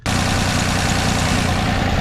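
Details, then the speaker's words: Toyota FJ62 Land Cruiser with replacement petrol inline-six after the original 3FE blew up at 350k miles, just started after the swap and accelerator cable adjustment: smooth, even idle, no misses or hunting. "nice and smooth little adjustment in this motor freck and runs amazing like a sewing"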